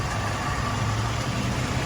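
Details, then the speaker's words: Willys CJ2A flathead after restoration, initial break-in, good oil pressure, tappets newly set, idle mixture two turns out: low even idle with steady beat, only faint tappet tapping; idles nice and smooth. "there she is she idles really nice nice and smooth"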